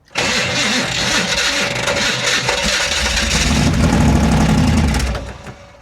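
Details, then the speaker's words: Maserati with an original-style ignition, restarted after a rest: long steady cranking, then the engine catches with a brief rough roar and dies within two seconds. It fires but won't stay running, and the owner suspects the starter isn't shimmed right. "dang it man she runs guys she runs it's just keeping it running come on okay enough playing around obviously she's not wanting to stay running"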